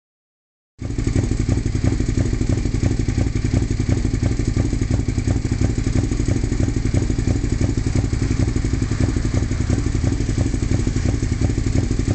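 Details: 2002 Suzuki SV650S V-twin with full M4 exhaust idling with a clattery pulse about three beats a second and an uneven, sputtering off-beat rhythm; rough idle, cause unknown.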